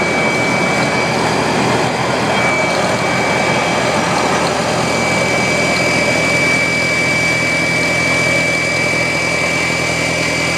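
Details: Audi A4 B6 1.8T: loud, constant high-pitched whine over a steady idle after a cold start, once the car has sat all day; fuel filter was replaced but the whine persists, cause unknown.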